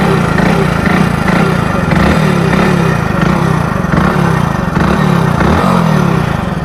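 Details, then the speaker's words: Hero Splendor Plus BS6 single-cylinder running: dry "char char" chattering rattle from the head, constant at this speed; rider identifies timing chain noise, not tappets, since tappet clearance was checked before. "मतलब इसमें चर चर type की नॉज आ रही है जो कि आप लोग जानते हो गाइ टाइमिंग चेन की नॉज है गाइस ठीक है"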